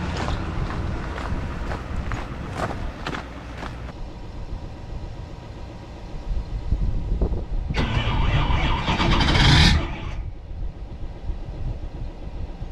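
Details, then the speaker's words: GMC Denali diesel truck left outside in -31° windchill Minnesota: slow uneven cranking, about three strokes a second, then whirring burst; never starts. "well that's not good guys it won't start"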